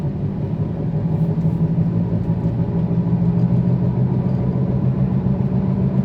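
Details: 2008 Volkswagen Passat driving, noise loudest above about 60 km/h: steady low droning hum inside the moving car from a worn wheel hub bearing, later replaced.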